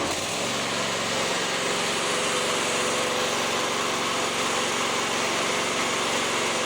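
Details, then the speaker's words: Cub Cadet ZT1 54-inch mower twin engine with a failed Kohler ignition coil (one spark plug burning, one not): loud, lumpy, uneven running instead of a smooth hum, one cylinder dropping out; coil misfire. "my buddy Ronnie came by and he even said it sounds like a coil misfire and I kind of agreed with him"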